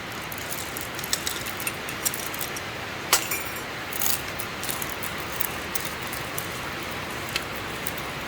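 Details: Grinding sound of month-old coffee beans stored in a poorly closed container, compared with fresh medium-roast beans: soft, even hiss with scattered faint ticks and no crunch; stale, moist beans grind dully.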